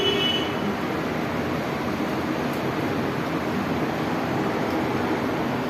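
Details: Window AC fan motor that made noise after one or two minutes of running, now reconnected after repair; smooth even hiss throughout, no squeal, knock or rubbing; running normally with no sound.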